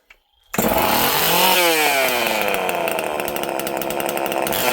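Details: Homelite chainsaw of about 68cc with no decompression valve and a leaky fuel cap, started on fast idle after fuel was squirted in: it catches at once and settles into a high, even two-stroke buzz with a brief rev swell. Healthy fast idle.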